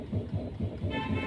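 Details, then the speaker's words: Tata Zest, steering rocked left and right: dull knocks about five a second, worse while driving, with a horn toot at the end. Steering knock from worn tie rod ends with torn boot and loose ball joint. "एक duck duck duck duck की आवाज़ आ रही है। इस तरीके से move करने पे तो ये आवाज़ जब गाड़ी चलती है तो वो और ज़्यादा आती है।"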